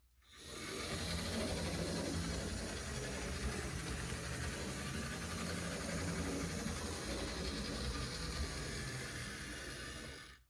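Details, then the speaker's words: Dual-motor Tyco C630 Alco HO locomotive after motor block swap, running in reverse: soft, even whirring with no catches or grinding, much better than before; unit still wobbles, possibly traction tires or truck springs. "That seems much better. Let's go in reverse and see if it's still better in reverse. And indeed it is."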